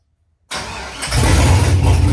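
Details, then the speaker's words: 1968 Ford F100 LS swap, first start, no O2 sensors or throttle cable yet, throttle worked by wire; catches after cranking and builds to a lumpy, uneven rough idle, otherwise engine seems healthy. "I'm super hyped on that motor sounds pretty good it's obviously still running like crap it's got no O2 sensors or anything in it but uh I'm happy with that"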